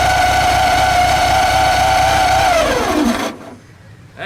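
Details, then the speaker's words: VW Super Beetle after fitting a new alternator, starter and distributor: even air-cooled engine ticking with a thin steady scraping whine that fades at shutdown; cooling fan rubbing its shroud because belt tension pulled the alternator against the plate. "let's go ahead and start it one more time that's a street is rubbing the inside of the Shroud for some reason we're gonna have to investigate that"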